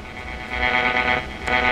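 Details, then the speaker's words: G.E. Model 250 tube radio on a bench power supply: a steady, even buzz with a bright, edgy upper tone that rises and falls slightly; it comes from the camera's power supply, not the radio's vibrator. "hear that buzzing that's not the vibrator that's the camera supply"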